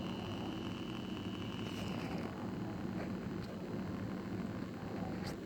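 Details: BMW 635CSi E24 rough idle on cold and warm start: slightly uneven low rumble with a faint steady hum from the idle control valve; rough idle, cause unconfirmed.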